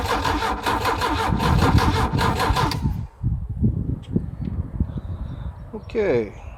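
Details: Volvo AQ131C: steady starter cranking about four beats a second, then scattered irregular pops without the engine catching; cranks but won't start, backfiring.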